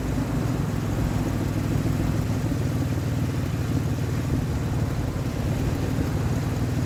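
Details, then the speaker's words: 2003 Ford Explorer that failed inspection for misfire, after replacing bad ignition coil: deep even rumble, no stumble or skipped beats, smooths out with throttle: smooth running. "Running smoother than it was. And once I put some pressure on it, it smooths right out. I like it."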